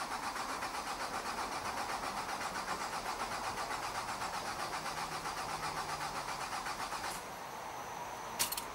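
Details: 2006 Nissan Altima 2.5S, 170k miles, during fuel pump diagnosis and replacement after the car died in an intersection: it cranks briefly, catches, and settles into a quiet, even idle with no stumbling. Normal start.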